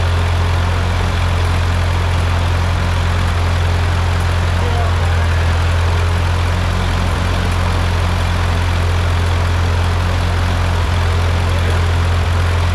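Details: Ford 8N tractor engine just rebuilt, first run: steady, even low putter at idle with no knocks or misses; engine runs smooth and healthy.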